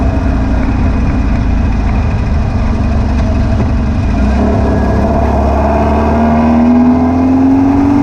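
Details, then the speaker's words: VW beach buggy (Prowler body) after a blocked idle jet in the driver's side carburetor was cleared and the carbs rebalanced, with new plugs and leads: an even engine note climbing under load with no popping; idle a little fast. "seemed to have cured all the popping and far in kicking over a little bit on the fast side but it's running"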